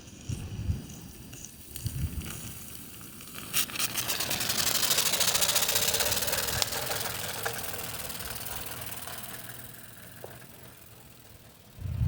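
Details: Modified Mamod Brunel MK II model steam engine after exhaust leak fix: rapid, fairly even chuffing about four beats a second, running steadily; adapter added to the exhaust stopped it blowing out the fire.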